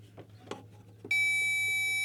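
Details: 1973 Plymouth Valiant parts car that won't crank: handling clicks then steady high-pitched tone from a power probe confirming good ground at the starter solenoid relay, which is suspected bad since applying voltage gives no cranking.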